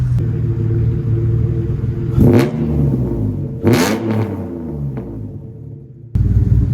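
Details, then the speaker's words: Mitsubishi 3000GT with custom fabricated exhaust plus added resonator: deep steady rumble, revs swell and drop with raspy edge on blips; much better than before but still a bit brappy. "don't get me wrong, it's way better than before, but it's a little brappy for my taste."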